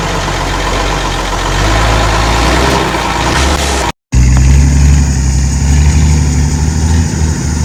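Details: Ex-Australian Army International ACCO 6x6 truck with a Perkins 6354 six-cylinder diesel, just started after bleeding air from the fuel lines: deep, steady, even tick-over, no knocking or stumbling; normal idle.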